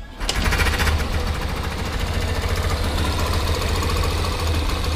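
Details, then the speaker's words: Yamaha Factor 125 single-cylinder motorcycle idling after the valve rockers were adjusted: it starts and settles into a steady, even idle with no valve tapping. "Sem bater nada. Motorzinho sereninho, né?"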